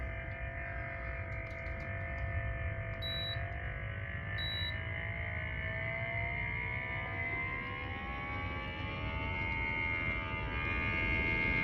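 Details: Blue Ridge (Alpine) mini split indoor unit, fan turned up: loud droning hum and low rattle from the fan motor, about the same in turbo mode, filter just cleaned; two beeps as settings change.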